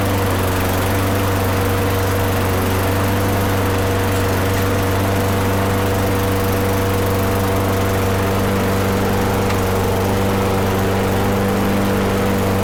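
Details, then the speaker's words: Older Toro Recycler mower with Tecumseh engine after no-start repair, oil change, blade, plug and air filter service: smooth steady single-cylinder drone at constant pitch, no hunting or misfires; running healthily. "okay well there you have it everything should be good to go everything seems to be running"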